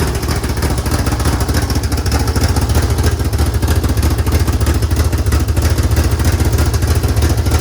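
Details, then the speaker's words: Mitsubishi DSM turbo engine after fitting a belt-driven mechanical fuel pump: strong, even low exhaust pulse with crisp regular firing, no knocks or rattles; normal running. "Whew, baby. Wow, that sounds really good."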